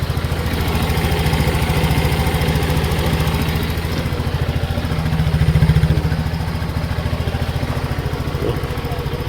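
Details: Rusi RFI 175 motorcycle: single-cylinder idle with an even, steady beat about 3.5 pulses per second, no knocks or misses; running healthy.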